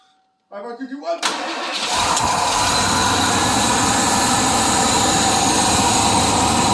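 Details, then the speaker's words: 1992 Ford F150 5.8L V8 after water pump replacement and coolant refill: starter cranks briefly, engine catches and settles into a steady even idle with no knocks or squeals, only drips from spilled coolant; runs really nice. "a couple drips from where i spilled off the toilet but that she is almost fixed up runs really nice"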